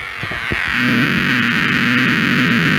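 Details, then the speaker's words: LM386 micro power amplifier on a 5 V bench supply: steady low buzz with hiss under the output; power supply hum suspected from ripple, reduced by adding a 10 µF capacitor on the supply line. "Ini ada noise, coba. Oke, saya coba pakai baterai ya. Mungkin ini karena power supply-nya nggak bagus, ada ripple atau gimana."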